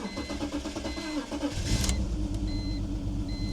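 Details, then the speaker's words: BMW E46 mechanic special, first start after work including a thermostat, coolant not yet topped off: cranks, catches and idles unevenly with shaky stumbling beat and chime; check engine light on, owner suspects something left disconnected. "Little bit of a shaky start. And I'm guessing I forgot to reconnect something cuz we already have a check engine light. And she's running a little rough."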